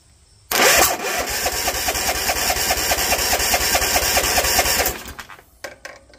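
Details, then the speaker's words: Hard start on a Bolens ST110 lawn tractor at full throttle with choke; uneven chugging and stumbling while cranking before it dies. Owner suspects a faulty compression-release function or valves far out of adjustment, not confirmed. "Alright, something doesn't sound right. That little hesitation shouldn't be there. Either it's got a release function that's messed up, or the valves are way out of adjustment, and that's what's going on here."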